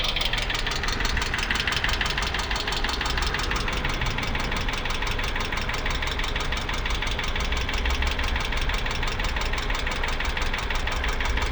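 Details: 2008 Hyundai Accent engine knock: a constant rapid tapping over the idle that continues with no change in speed; cause unknown.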